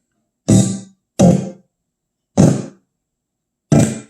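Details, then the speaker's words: Kenwood KR-3010 stereo receiver, music on speaker A, volume pot torqued by hand: audio cuts in and out in abrupt bursts; loose, hot-glued volume potentiometer with poor connections, owner plans resoldering. Intermittent dropout. "It get really bad because there's movement down in here. If you look at this tiny little pot, I have it hot glued to that to prevent movement."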